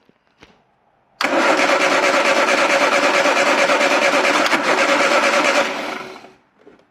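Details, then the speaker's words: Triumph Dolomite 1300 after fresh parts including a new rotor arm, starting: engine catches first turn, settles to even, slightly fast idle with steady beat, no misfire; normal running, much better than before, idle to be adjusted. "uh that is so much better than it was so yeah happy with that sounded good idle is a bit too fast I'll sort all that out in a minute"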